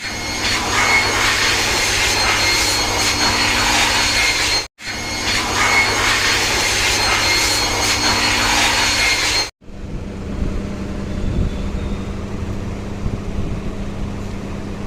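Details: Honda Stunner motorcycle after new piston fitting for an engine sound problem: steady, even single-cylinder drone with no knocking or rattling; normal running.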